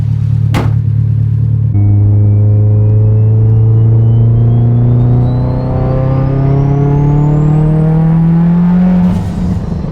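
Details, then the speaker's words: Mitsubishi Evo 10 after fitting new ungapped Autolite plugs, with a looser gap than usual that may blow out under boost: a clean, steady rev climb from idle to high with no stumble; engine runs much better. "She's a freaking ripper. The car runs much better."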